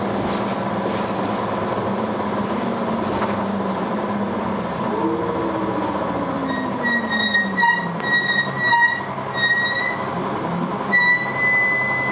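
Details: Dennis Arrow bus (R438ULE) with ZF gearbox: drivetrain drones steadily, then a very loud harsh grinding comes in partway through over a gear whine, with lots of thrash; cause unclear.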